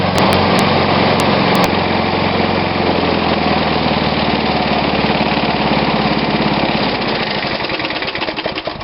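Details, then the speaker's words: Old Snapper push mower, Briggs & Stratton engine dated Dec 1987: plug looks much better, crisp steady even exhaust beat, running strong before winding down; normal running. "you saw the plug it looks so much better it's running strong"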